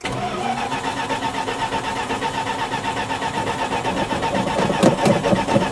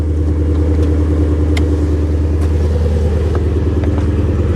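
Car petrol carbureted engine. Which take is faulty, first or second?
first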